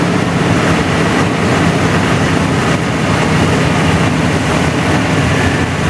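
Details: 1981 GM square body truck V8, after 25 years sitting, with choke blocked open: deep, steady, even rumble with no knocks, ticks or misses; runs healthy.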